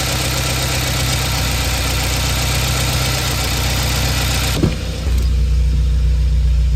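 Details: 2016 Subaru WRX (not STI), FA20 DIT flat-four, bought a month earlier: faint, fairly regular light knock at idle with a touch of throttle; owner fears a spun rod bearing, source unconfirmed; knock persists after oil change.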